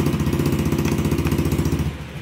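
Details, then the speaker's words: Honda Beat scooter with intermittent hesitation: uneven, lumpy idle that dips near the end; stumbling hesitation. "Okay kalangisabit naman tayo. Ayan ang problema niya ay nahagok. Ayan tinatakbo."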